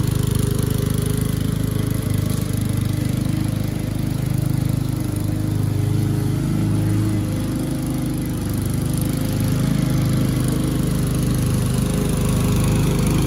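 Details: Curb-salvaged MTD walk-behind lawn mower cutting grass after an oil change, with engine speed turned up a bit: steady deep drone holding pace, no stumbling or bogging. Runs well; earlier exhaust smoke suspected from tipping and slight oil overfill.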